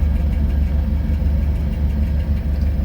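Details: Potterton Promax HE Plus SL condensing boiler on an S-plan heating system, heating running: a constant deep, rough, uneven rumble with no knocking from the circulating pump. Its worn bearing means the pump needs replacing.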